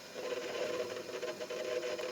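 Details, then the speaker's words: One-year-old Sharp refrigerator not cooling though the compressor runs, capillary tested after filling with methyl, listening at the evaporator: steady soft hiss with faint hum, no gurgling or surging; normal refrigerant flow, capillary not clogged. "Jadi yang penting Anda dengerin di bagian evap bahwa ini kalau tidak mampet ini seperti ini."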